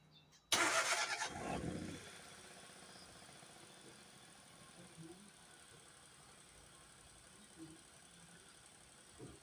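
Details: Nissan Almera after radiator fan motor replacement and coolant top-up: engine fires quickly, then settles into a quiet, even idle with no odd noises; runs normally.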